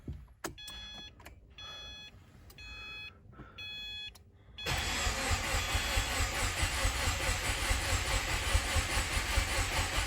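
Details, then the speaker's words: Subaru WRX after engine rebuild, first cranking with fuel pump fuse pulled to build oil pressure before starting: key-on chime, then steady crank about two turns a second that never catches; normal cranking without start. "fuel pump fuse is pulled so it will not start so we're just waiting to see when the oil light goes off"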